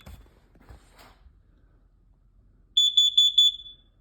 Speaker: this one is not that loud that's not good let me hear that again